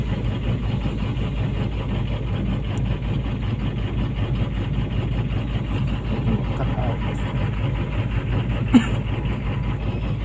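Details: PC200-8 with a crank/no-start complaint blamed on a defective common-rail pressure sensor (no rail pressure); here a steady, even low diesel idle rumble with no misses, knocks or hunting, running normally.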